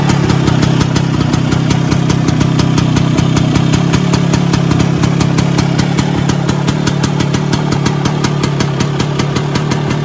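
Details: Vespa PX 125 with 177 kit, restored engine (new bearings, gaskets, piston, rings, lapped cylinder, first-gear spring and gear), first start after a year. Deep, steady two-stroke burble with light even crackle at idle. Normal idle.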